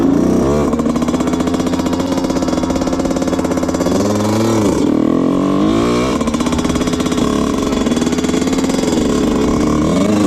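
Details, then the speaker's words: 2000 Honda CR125 two-stroke dirt bike ridden at nearly full throttle, blowing lots of white smoke: rough, choppy, bogging and breaking up instead of revving cleanly, seemingly not exceeding 10 to 50 mph. "Alright, yeah, it's bogging really, really bad. You could hear it in the video. It's not too good. Breaks up, bogs, probably doesn't go over 10 to 50 miles an hour. I was going pretty much full throttle the whole time, and it's really, really boggy."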